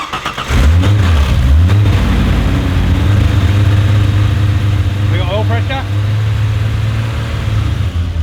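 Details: Ford Fairlane V8, first start after fixing sump leaks and refilling engine oil and transmission fluid: short crank, catches fast, deep even idle with no knocks or ticks; healthy start and idle.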